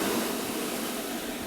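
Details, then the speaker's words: ABB demo rig: variable speed drive outputting 50 Hz (simulating mains) running motor and fan with damper fully open; loud, steady rush of air, far too much airflow, fan overspeed. "And with the damper fully open, you can hear there's way too much air."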